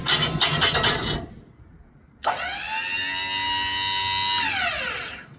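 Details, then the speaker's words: Newly swapped 12V hydraulic pump on a 5x10 dump trailer, after refilling the oil, raising the box: bright electric whine holding steady pitch under load, sagging as the lift tops out; pump working normally after the fix. "WELL, THAT'S IMPRESSIVE. PRETTY exciting day around here when I fix something and how it works."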